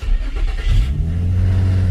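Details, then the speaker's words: 2006 Infiniti G35 coupe after fix: correct crankshaft sensor (replacing an O-ringed wrong part) and OEM throttle body fitted. Brief crank, catches with a quick rev and settles into a steady low idle, keeps running. Normal start and idle. "All this car needed was a correct crankshaft sensor, a OEM throttle body, and you have a running and driving vehicle."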